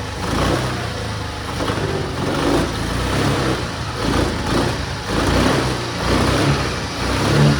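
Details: Suzuki Access scooter after repairing a rusted, holed silencer with high-heat coating: steady idle with an even, mellow exhaust note, no rasp or leak puffing; normal running after repair.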